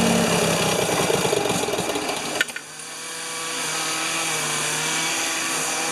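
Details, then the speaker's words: Free Ford 2600 tractor started choked on a little gas, with plugs one and two new and number three old: uneven, lumpy firing with loud irregular thumps fading to a weak, faltering run. Suspected flooding; owner also fears a stuck number-one intake valve (puffing from the intake). "too much fuel flooding out [Music] hmm why is it not one to run well"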